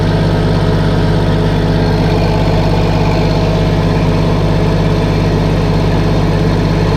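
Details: Case 1450B dozer with a freshly rebuilt diesel engine, just started after reassembly: steady low idle with an even beat of about three pulses a second and no knocking or misfire, and it sounds healthy.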